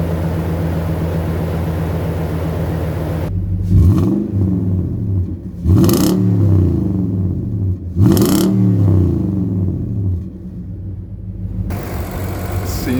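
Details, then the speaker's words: Nissan 5.6L VK56DE V8 after the failed aftermarket AC Delco oil filter was replaced with an OEM Nissan filter and fresh full synthetic oil: picks up cleanly in a few quick revs and settles back, with no whine left over the exhaust. It runs normally. "like we fixed our issue sounds a lot better in here actually"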